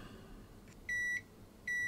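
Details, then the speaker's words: PlayStation 2 Slim board damaged by bench PSU overvoltage: two steady high multimeter continuity beeps across the removed faulty capacitor confirm it is shorted, though a short is still on the board; shorted capacitor. "Well, I've removed that faulty capacitor, but I've still got a short on the board. Yeah, I've still got a short."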